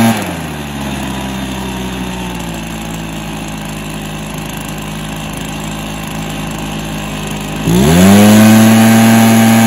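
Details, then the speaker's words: Stihl BR430 backpack blower, previously bogging and now after the fix: a steady two-stroke idle, then a clean, quick climb to an even full-throttle scream with no bog. It runs healthy. "so that's a good result it starts and runs well and revs out well so yeah I played for that"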